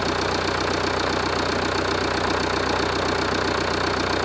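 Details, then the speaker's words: Jeep Renegade 2.0 MultiJet diesel after repair: even diesel clatter at steady idle, earlier deep droning noise gone; engine idles normally. "agora tá normal tá o barulho normal do funcionamento do motor tá tudo ok"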